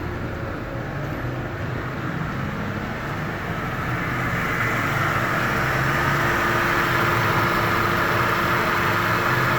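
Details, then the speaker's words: Mercedes W211 E200 that had been misfiring badly and shaking from water-damaged spark plugs and coils, now running after the plugs and coils were cleaned. Idle is even and steady with no stumble, including in gear; the misfire is gone. "माशाल्लाह जी, ये जो है ना, जो मिसिंग थी वो बिल्कुल ख़त्म हो गई है, बिल्कुल गाड़ी स्मूथ हो गई है"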